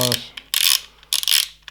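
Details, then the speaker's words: Shimano Ultegra 14000 XSD reel rotating: repeated dry scraping bursts about every half second; noise comes from the line spider/line protector, much quieter without it; replacement protectors ordered, cure unconfirmed. "hopefully that will cure the issue because as you can hear it's much quieter without this line spider so that's something that I noticed with this wheel"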